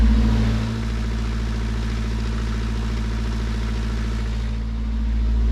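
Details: Sailboat diesel engine after adjusting the leaking shaft seal (now dripping every 15–20 s instead of a stream): steady, even diesel beat, smooth drone, no knocks or rubbing; normal running.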